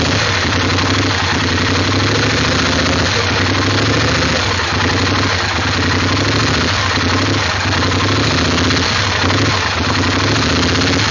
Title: 850 rough idle